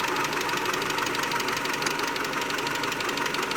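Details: 2001 Mitsubishi Galant 2.4 4G64 petrol idling: a light, crisp lifter tick about three times a second; possible causes named are oil pump gear misalignment at the timing belt, coke buildup, or failed lifters leaking down.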